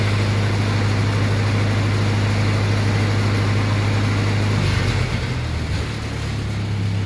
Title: Lincoln SA200 start-up after carburetor rebuild.